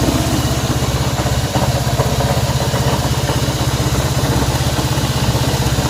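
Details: Honda CB190R single-cylinder motorcycle engine noise at idle: an even, quick pulsing beat with a faint mechanical clatter on top, noise unidentified.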